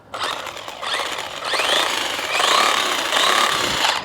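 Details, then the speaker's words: 1/12-scale brushless 4WD RC monster truck after landing a jump on power. Electric motor whine with harsh gritty grinding under throttle; the owner suspects a chipped tooth in the front differential. "sounds like maybe a diff. Maybe it's chipped a tooth or something."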